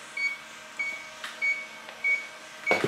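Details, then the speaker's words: Electronic leak detector chirps a steady high beep about every 0.6 s while searching a non-cooling transCooler 25 with Secop BD220CL compressor that has lost its refrigerant; the leak was a hole the customer drilled into the evaporator. "Und hier habe ich ein Lecksuchgerät. Und wenn ich jetzt hier alles absuche, ihr hört das vielleicht, wie das"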